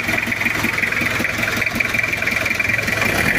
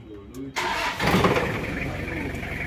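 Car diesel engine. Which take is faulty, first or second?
first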